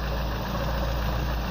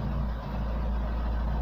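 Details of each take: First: Engine after DIY repair of crankshaft keyway for lack of power: smooth, even low hum at idle with no knocks, misses or surges, hum from the exhaust pipe; normal idle. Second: After a DIY crankshaft keyway repair for lack of power: deep steady low hum at idle; the drone comes from the exhaust pipe, not the engine.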